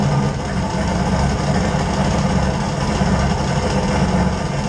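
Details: LS 5.3-swapped Fox Mustang, first start after adding fuel to a tank that had run the pumps dry: a steady, even low V8 rumble with a smooth firing beat, no knocks or misses; a normal idle.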